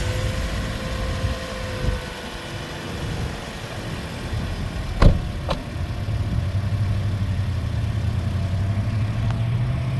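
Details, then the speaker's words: 2010 Toyota Corolla S after new spark plugs and engine bay detail, restarted: steady low even idle, super smooth and quiet, no misses, stumbles or knocks; normal idle. "Yeah, here you have it, you guys. It idles really well. Super smooth and quiet."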